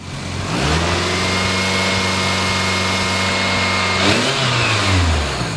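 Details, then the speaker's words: Engine overfilled by 3 extra quarts of oil, warmed up and revved: climbs from idle and falls back smoothly with no knock or tick; oil pressure stays around 25-30 PSI, so running normally despite the overfill. "Well, after a few revs and warming this thing up, we're right around that 25-30 PSI. So having extra oil so far is not changing anything with oil pressure."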